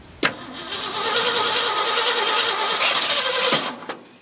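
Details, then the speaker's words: 1971 Ford F-250 shop truck, remote start at starter relay, timing light on distributor primary confirms spark: steady cranking about three seconds, almost fires but doesn't catch; crank no-start, cause unknown. "well not only have we got Spark it nearly started interesting go figure"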